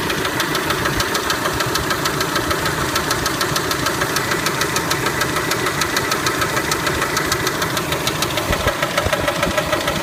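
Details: Kia Spectra engine idling with a sharp, regular metallic knock about three times a second that stays steady; internal engine knock suspected, cause not confirmed.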